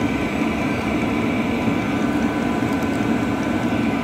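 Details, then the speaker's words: Cheap 12V 5kW diesel air heater on a bench test, fuel pump primed: firing up into a steady even roar with constant fan hum, no surging or sputtering; burning cleanly, normal combustion. "I think she's firing up there I can hear it"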